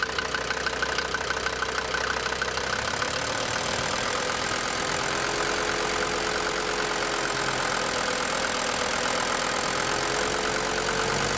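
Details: DB29 diesel at idle with throttle blips: hard, uneven metallic clatter roughly three a second, sharpening on the blip; injector knock.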